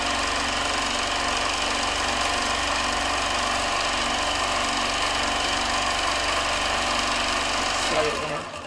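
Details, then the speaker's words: Gammill quilting machine with IntelliStitch Turbo cl in constant-speed (unregulated) mode, motor at fixed dial speed: quick even needle chatter about four stitches a second over a steady motor hum; it keeps stitching even if the machine stops moving. "so when i hit that button the black button on the handle the machine will start to run and i need to move the machine"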